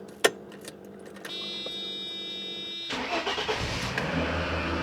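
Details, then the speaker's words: 1995 Mercedes E320 Cabriolet (W124) after sitting 19 years, first start after fresh oil change: starter cranks nearly three seconds before engine catches and runs unevenly; extended cranking, hard start. "Let's see what she sounds like with her fresh oil change. Well, it's not going very well."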